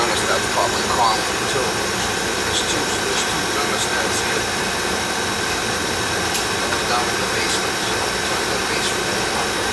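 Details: Oil furnace burner, checked after an oil-smell complaint and a fan that ran all the time, firing on a thermostat call: steady, even roar with no pulsing, rumble or sputter, holding its flame; firing cleanly.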